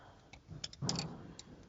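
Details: Front-wheel-drive VAZ engine at idle: faint hum with sharp light ticks in small irregular clusters; hydraulic tappets knocking from tappet bores worn 0.2 mm, so replacing tappets alone won't fix it.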